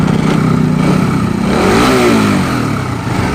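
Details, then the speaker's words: Suzuki Rider 150 FI, odometer about 21,653, after clearing the FI check-engine fault, ECU reset and cam chain tensioner adjusted: steady, even idle around 1,500 rpm with a slight blip, top-end ticking gone; normal idle. "Handa ng tunog. Wala na yung lumalagitik. Okay, ayos na."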